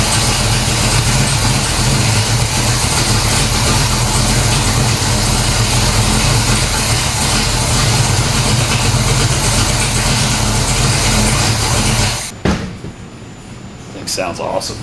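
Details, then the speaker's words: 1970 Pontiac LeMans 455 V8, Quadrajet carb, first start after long sit post transmission rebuild (previously stalled in Drive/Reverse): settles into steady, even loping idle, no knocks or misses, then shuts off cleanly; healthy normal idle. "all right so it starts it runs"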